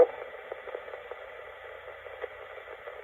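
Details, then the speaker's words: c1965 Lloyds TP588 reel-to-reel tape recorder, amplifier not yet recapped, recording with volume all the way up and no input: a steady, constant soft hiss is the amplifier adding noise onto the tape. "Okay, so there is noise in the amplifier, as you can hear it just going on to the tape."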